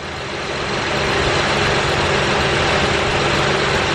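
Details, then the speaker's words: 2008 Honda Pilot SE, idling right after power steering pump replacement: steady, even hum with no squeal or groan. The brief initial noise is normal while the new pump pushes fluid through. Power steering healthy. "that's normal to hear the sound when you first start it up because the brand new pump so the pump got to push all the power steering fluid in there quick"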